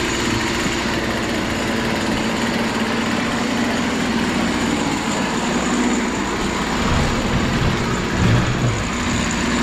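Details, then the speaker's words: BC 2500 LE weed eater bought broken after long storage, after fixing a loose head (lost compression) and kinked primer line, choke on: small two-stroke settles into steady even buzzy idle, no stumbles, healthy. "All right, let's see what happens. It's even idling. That doesn't happen very often."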